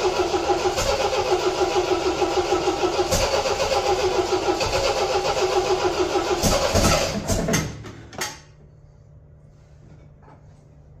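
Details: 1975 MGB four-cylinder: even beat about three and a half pulses a second with light blips, then clean shutoff; firing on all four cylinders; normal running.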